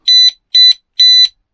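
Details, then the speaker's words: Oxford Screamer motorhome alarm after fix: pressing the button that previously set it off now gives three sharp, evenly spaced high-pitched electronic beeps, showing the alarm is working normally. "and that's what it should sound like now"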